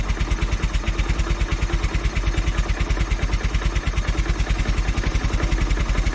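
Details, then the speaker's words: Velocette single, cold start with no choke or throttle, oil pressure about 45 PSI: slow, even single-cylinder thump at roughly ninety-odd beats a minute, easing off; cold idle slowing, and it tends to bog or stall if throttled cold. "Uh you can see the oil pressure is about 45 PSI. You can hear it slowing."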